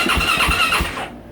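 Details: 2024 Yamaha YZ450F, won't start: starter turns engine in steady compression pulses about three a second, no firing, then drops off; no spark from a failed crankshaft position sensor, warning light blinking.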